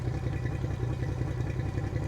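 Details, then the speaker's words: 2003 Yamaha 225 four-stroke outboard with 361 hours, run on a flush hose: a lumpy, uneven idle with irregular thumps and stumbles; a misfire traced to a pinched wire. "It's almost like a misfire or a backfire. Um, you know, it could be fuel related, but it could be ignition related. Sounds like ignition related to me."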